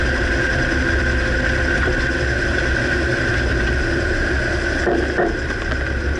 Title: Dodge Ram 2009 Clunking noise can't pinpoint - Front right suspension